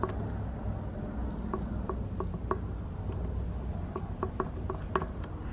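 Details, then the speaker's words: IS20 turbo removed from an MK7 Golf GTI (being replaced by an IS38), shaken by hand off the car: irregular light metallic ticks and rattles from turbo shaft play, plus some wastegate chatter; worn shaft and chattering wastegate. "That's it. Had a bit of wastegate chatter there as well."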